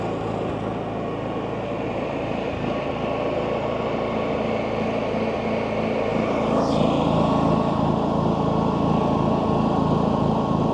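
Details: New Champion 11000 W tri-fuel inverter generator on first start, choke still on: smooth, even hum that holds steady and swells slightly as it settles, with no misses or knocks; healthy unloaded running.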